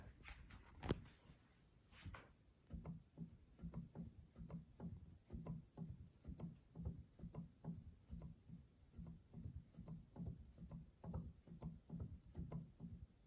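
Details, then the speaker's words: Yamaha G5 piano, treble section: quiet, regular light clicks and soft thumps as keys are played, louder inside the piano than outside; action clicking, jack regulating buttons or felts suspected. "That's what I imagine the action should sound like. You can hear everything moving, but it's very quiet."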